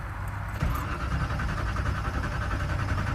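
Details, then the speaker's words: Traded car on a road trip, cranking with throttle pumped: steady starter churn repeating with no firing at all; no ignition, not a carburetor fault, ignition LED dark and no ignition power, a red wire spliced to black with no fuses. "that is like no ignition yeah it's not even trying to fire that's not a carburetor thing that's something else"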